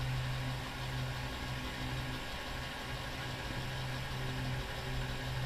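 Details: 2006 GMC Sierra LBZ Duramax diesel just after installing an AirDog II 5G 165 gph lift pump: steady, even idle with a smooth low rumble, no knocks or misses; pump tone changes as it purges air and builds pressure.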